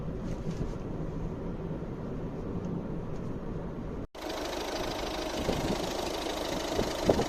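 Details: Volvo C30 D2 1.6 diesel pulling under load, uneven metallic rattle over the engine note on acceleration at a specific rpm; owner attributes it to bad injectors.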